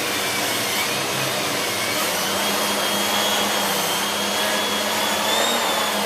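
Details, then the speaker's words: Siemens Z6.0 Power 2500W bagged cylinder vacuum with its mini turbo brush cleaning a chair. Steady high airflow rush with a faint spinning tone holding pitch under load; the brush doesn't slow down, normal operation. "very good very good little lettuce that really does spin quickly and doesn't slow down either"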